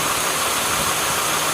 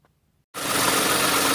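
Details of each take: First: Steady, even idle with a smooth belt whir and no clicking or chirping from a 2008 Toyota Sienna after new idler/tensioner pulleys were installed; any ticking heard is from the engine. The accessory drive is healthy. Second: Engine fires and settles to idle with a rattly clatter and a faint steady tone from the belt area: worn idler/tensioner pulley bearings on a 2008 Toyota Sienna minivan camper, before replacement.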